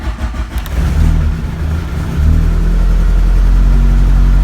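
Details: 1983 Rabbit GTI rebuilt engine, first fire-up after oil priming, leakdown 5-9% before: catches within a second, rises to a fast steady idle with even low hum, no knocks or misses.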